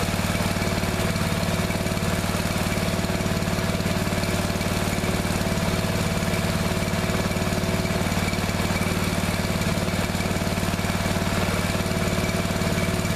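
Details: Neglected riding mower revived, after replacing fuel line and clamps, refitting shutoff and filter, fresh gas, jump pack on weak battery: steady single-cylinder beat about four firings a second, no misses or knocks; runs perfectly now.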